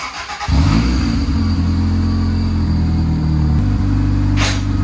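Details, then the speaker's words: Honda Civic with a new clutch cable: steady low engine drone, then a harsh scraping rasp as the gear engages; the cable is suspected of not fully disengaging the clutch, fix is to loosen it. "I think it's not fully disengaging. It sounds like the clutch cable's not fully disengaging. That's why he's grinding gears."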